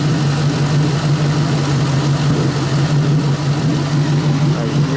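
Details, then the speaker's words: Ford Mustang after replacing spark plugs and ignition coils, near full operating temperature, lean code still returning: steady low idle with occasional soft exhaust pop, worse as it warms; owner suspects a bad injector, cause unconfirmed. "sounds healthier, but that that pop is concerning. It's more and more the warmer it gets, too. I don't know what that is."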